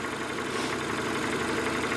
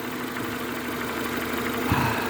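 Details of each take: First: Renault Megane 2 petrol engine, fully warmed up, idling with a dull, light knock under the steady run: piston slap. The owner had been disabling cylinders one by one and blipping to about 1000 rpm to trace the knock. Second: Renault Megane 2 after reassembly, fully warmed to operating temperature: even, steady idle, no shaking, no ticking or knocking from the top end; engine sounds healthy.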